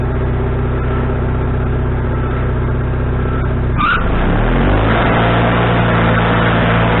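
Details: Wood-Mizer LT40HD sawmill engine with a newly fitted carburetor, restarted after cooling down with the idle thought to be set: a steady note drops and wavers on engagement before settling; surges under load, still needing carburetor adjustment.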